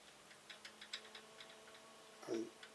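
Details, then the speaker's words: Protomaker Black Sprint 3D printer Z carriage rocked by hand: light quick ticking and rattling; loose linear bearings sloppy on the smooth rod. "And I can hear it almost rattling as I move it side to side here."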